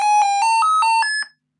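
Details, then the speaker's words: Lenovo E15 laptop being repaired for not charging, powered on after charging the battery: six short beeps stepping up in pitch, then silence, the no-RAM startup alarm; memory module missing. "Okay, so the laptop, it is on, but what's that sound? What's that sound? Pressing the power button. Do you think it's no RAM memory here?"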